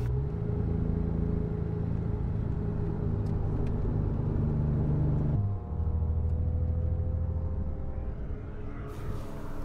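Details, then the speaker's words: 2003 Porsche Boxster S on track: engine drones unevenly and sags, then struggles at lower revs and won't rev, down on power, heading for the pits; a main bearing failure. "now it doesn't sound quite so good there's something wrong with the engine it doesn't want to R oh dear oh dear head back for the pits"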